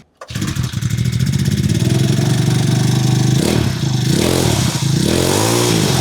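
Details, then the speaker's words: Amazon 49cc four-stroke gas pocket bike mini motorcycle, started and run off choke: small single catches and settles into a buzzy run, then blips up and down cleanly; running normally. "Fires right up. That sounds more normal."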